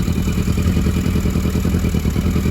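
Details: 1982 Yamaha Maxim XJ750 barn find, after cleaning plugs, first start on choke: low, steady, slightly lumpy throb at an even high idle; four-cylinder fires and keeps running, fuel tank issues still pending.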